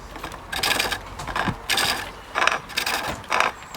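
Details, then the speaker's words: Treadle lathe, gouge roughing out a wooden billet: uneven bouncing scraping bursts about once a second as the gouge hits high spots on the out-of-round billet; uneven cut. "can you hear at the moment we get in an uneven sort of bouncing sound"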